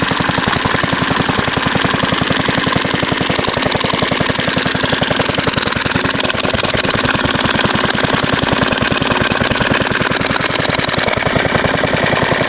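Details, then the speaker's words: Fairbanks Morse Z style D stationary engine, believed 1938, with magneto, after points cleaning and fuel system cleaning: rapid, sharp firing beats with a hunting rhythm, running faster than usual, with speed jumping around. "run a little too fast usually R's a little slower than this and it jumps around with that cheap little"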